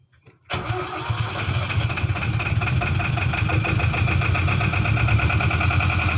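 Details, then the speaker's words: Boat engine first start after replacing a busted generator (charging light had come on) and tensioning the belt; catches after brief crank, steady even idle, no knocks, squeal or belt flap, charge light out, voltage correct. "Success! Light went out. Volt is correctly. No flapping around. Perfect."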